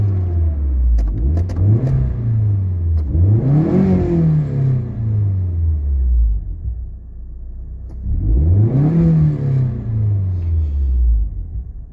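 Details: 1996 Nissan 240SX (S14, KA24DE), automatic, about 200,000 miles, aftermarket exhaust, at operating temperature: two clean free revs, pitch climbing smoothly and falling back to an even idle, no knocks or misses; healthy engine.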